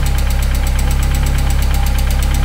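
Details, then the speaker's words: 1998 Mercedes SLK230 R170, M111 Kompressor, hunting idle with no throttle response: throttle body removed and throttle held 5–10° open, fast even idle pulse with no hunting; closing it brings hunting back, throttle adaptation stopping prematurely. "the car would run perfectly if I take off this throttle body and give it a bit of open the throttle just like 5° or 10°. And if I close it, it starts hunting."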